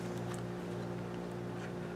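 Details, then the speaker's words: Vintage Tamiya Blackfoot RC truck gearbox after rebuild with new gears, replacing a broken tooth and slipping gears: steady even whir with low hum, no clicks or skipping; gears now mesh smoothly. "oh my goodness that's way better isn't it man i think we might have got a fix big back sounds pretty slick"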